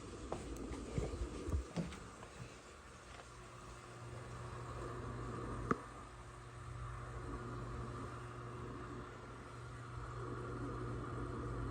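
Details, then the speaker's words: U-Line nugget ice maker being repaired for E11/F11 leakage error, water and drain connected, just switched on: quiet steady hum, condenser fan motor whir, few light clicks; normal running. "I can also hear the the condenser fan motor is running"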